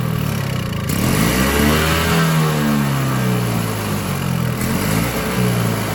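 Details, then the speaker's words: Toro Power Clear 21in single-stage electric-start snowblower, 141cc 4hp two-stroke, owned about 5 years, after carb cleaning: engine speed constantly rises and falls every second or two. Surging persists; a new carburetor is considered, and piston scoring is noted on the exhaust side. "the only thing I can think of is maybe a new carburetor it's just constantly surging surging surging surging"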